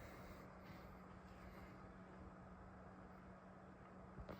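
A steady low whirring hum with airy hiss never eases off at idle, the power supply fan stuck running flat out.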